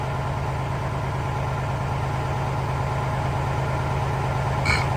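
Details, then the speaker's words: Diesel truck tractor not started in over a year: cranks right up into a steady, even low rumble with no knocks or misses; idling cleanly. "but this truck ain't been started up in so long man and it's just crank right on up praise God"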